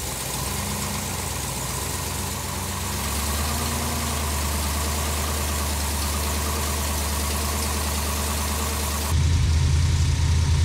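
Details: Supercharged big-block on engine dyno with Harrop TVS2650 kit, still on running-in oil after 2000–3000 rpm break-in: deep even idle lope about three pulses a second, then picks up evenly; healthy, before it later failed near 5000 rpm.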